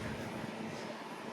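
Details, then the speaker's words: Holmes Blizzard Junior, a small 2-speed fan about 6 inches, on one speed though the owner is unsure whether low or high: quiet, even whirr with a faint steady hum and no rattle or ticking. Running normally, with unimpressive airflow. "I honestly do not know if this is low speed. It might be high."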